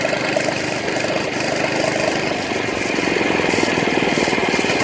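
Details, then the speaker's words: Monster Moto mini bike, small single-cylinder engine, riding slowly: low-speed putter with an uneven rattly chatter on top; rider hears a weird noise and suspects the governor but is unsure. "Yeah. It's making like a weird noise. It might be the governor, something like that, I'm not sure."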